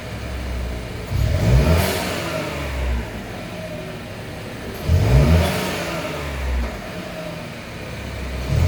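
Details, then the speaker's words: Buick Encore GX / Chevy Trailblazer 1.3 turbo after installing K&N air filter: smooth revs rising and falling every few seconds, clean pull with no knock or rattle; normal revving. "And this is what it sounds like when you add the Can-Am filter to your car on your GX Encore or your Trailblazer with the turbo 1.3 is what it sounds like. It sounds really good."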